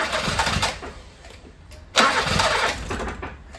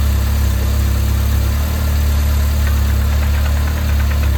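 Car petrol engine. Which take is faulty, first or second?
first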